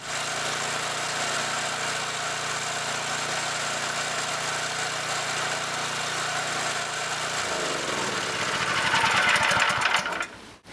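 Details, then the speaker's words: New rebuilt Scott Bonnar 45 mower petrol engine at first start: steady even buzz, then note dips and settles as cutter clutch engages; engine runs happily, clutch working well, top chain may need slightly more tension. "the engine was happy to run without the cutter engaging so that's what we want"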